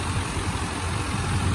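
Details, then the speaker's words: 1995 Chevy K1500 Silverado with newly installed 355 TBI V8, no cam, only three miles on it: steady, even low rumble with no knocks, ticks or misses, no leaks, running smooth; normal idle. "nothing leaks it's all running good smooth"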